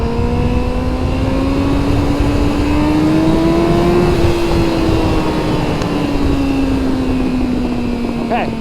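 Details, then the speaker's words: 2000 Yamaha R1 (5JJ) used-bike test, held hard in second gear to check for gear pop-out. Engine note climbs hard and evenly, peaks and eases off with no clunk or rev flare: second gear holds, normal gearbox. "good to know that it's not gonna pop out of second gear. So second gear is good."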